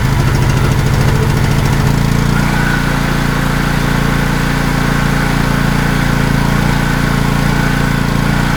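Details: Wacker Neuson GP2500 2500W generator, genuine Honda GX160 engine, hard to start, reportedly ran only on starting fluid: fires and settles into a rough, loping drone, staying alive only on half choke; lean running suspected, cause not confirmed.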